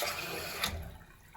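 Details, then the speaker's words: Old toilet running continuously after flush: steady hiss of water trickling into the tank without shutting off. The ball float is not lifting up automatically, so the fill valve never closes; owner suspects a set screw. "The ball, the little float there is not lifting up automatically. So, why not?"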